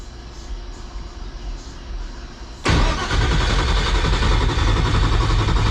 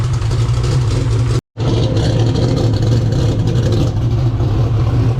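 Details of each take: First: 2000 HP Ford Mod motor race car on first start after repairs: steady starter churn for about eight seconds with no catch. It cranks but won't start because there is no fuel pressure; it was out of fuel. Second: 2000 HP turbo Ford Mod motor V8 after intercooler, valve seat and exhaust leak repairs: deep, heavy rumble under load, spooling in 5 seconds at about 5,000 ft higher altitude, strong with no misses. A pinhole leak at the number 7 EGT port was found later.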